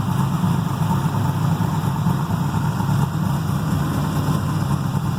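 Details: Carbureted 6.0 LS V8 with mechanical fuel pump and distributor, freshly built, heavier pistons, solidly mounted in a race car frame: deep even steady idle rumble, no misses, knocks, ticks or vibration; normal idle.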